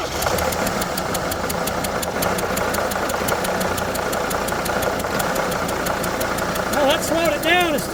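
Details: Sprinter diesel idling with small leaks at the #2 and #4 injectors, made worse by an attempted fix: a sharp, regular chuff-tick about three per second from compression gas leaking past an injector seal.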